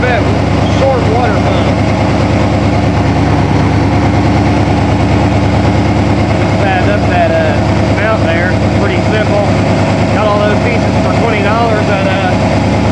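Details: 1987 Toyota Supra MKIII with swapped 350 Chevrolet Vortec V8 and 700R4, restarted after rebuild with distributor cap corrected 180° and valve lash reset, open unwelded exhaust: loud, deep, steady rumble, even beat, no misses or knocks; normal running.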